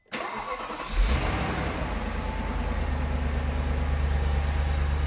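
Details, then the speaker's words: Audi C5 RS6 4.2 V8 cold start the morning after cam belt and cheap aftermarket cam chain tensioner replacement: starter catches and settles into a deep, even fast idle with no rattles, noise or rubbing; normal cold start. "Sounds good to me. So we've got no rattles, no noise, no rubbing. Everything is good."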